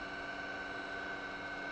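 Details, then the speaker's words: Danfoss high-pressure misting pump after disassembly and reassembly, slight inlet-side leak: low steady hum with faint constant high whine, no knocking or rattling; quiet smooth running like a brand-new pump. "back together and it is working quite well the noise is extremely minimal just like it's a brand-new pump so that's great"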